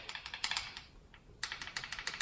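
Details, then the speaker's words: Honda S2000 DOHC VTEC valve adjustment, engine off: after setting lash with feeler gauge to a slight drag, rockers rocked by hand give light, crisp ticks in quick irregular bursts; clearance set correctly. "still just have that slight drag so we're all set so we should be able to get light tapping noise"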